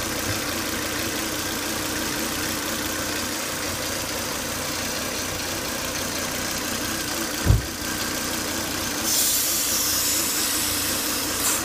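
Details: Volvo S80 2.5T idling after 10 to 20 minutes running: constant high hissing whine over the running note; excessive crankcase vacuum sucking at the oil cap from failed breather box, solved by replacing the breather box/filter.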